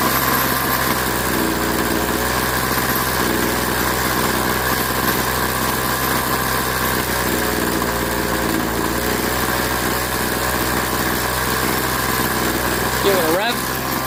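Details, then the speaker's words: Craftsman 21cc Bushwacker two-stroke hedge trimmer after sitting nearly a year, blade disengaged: steady, even buzz at idle and full throttle with no surging or cutout; runs clean, so owner won't tweak low and high carb screws. "And in this case, it's actually running solid. I mean, it's running really well. So I kind of don't want to tweak any of the low and high side because it sounds like it's running fine."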